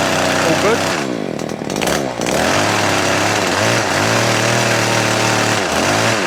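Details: Stihl KM94RC two-stroke with hedge trimmer attachment after gearbox gear replacement (blades previously not turning): pulls cleanly, revs smoothly, no gear grinding or knocking; carburetor may need slight tuning; gearbox sounds healthy.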